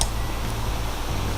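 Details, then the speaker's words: Floor fan after repair of tight bushings that had made it hum without turning: steady low motor hum with smooth airflow, shifting cleanly through speed settings; runs freely without straining. "вот он ездит в разные стороны дует и все отлично и так далее"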